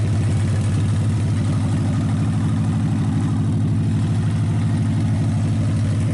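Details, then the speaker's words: Packard 374 cu in V8 at deep steady idle after crankcase drained and carburetor cleaned, fed from a small overhead tank: even beat, no missing, running on all 8 cylinders; still smoky from oil in the intake. Normal idle. "It's running good now. It actually quit skipping. It's running on all 8 cylinders."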